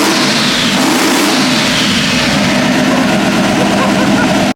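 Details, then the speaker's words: 1998 Ram 1500 with a twin-turbo 5.2 Magnum V8, first start after sitting 4 years with fresh fuel system: catches and revs up cleanly to a strong, steady roar with no knocks or misses; runs healthy. "Ignition switch on, and let's see if Whitie still has a heartbeat. He's back, baby! Whitie 2.0 is back alive!"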